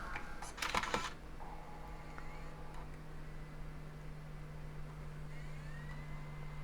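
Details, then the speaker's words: PowerBook G4 laptop with no hard drive, Mac OS X 10.3 install CD inserted at power-on: a couple of clicks, then a low steady hum and faint rising whine as the optical drive spins up normally. "Can hear it spinning up. We'll see if it'll read the disc."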